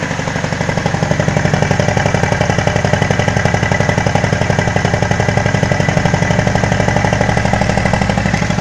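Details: VAZ 2109 with 1.8 8-valve 107 hp petrol engine after engine repair: steady, even idle with a regular low chuff and no knocks or misses. Normal idle.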